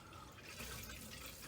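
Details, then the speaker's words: Whole-house water filter in crawl space after filter change, valve opened to refill: soft steady rush of water from the carbon filter into the pipes, no hammering or sputtering; normal flow. "Okay, so now I'm just going to open up the check valve here, and you should hear it go from here into there."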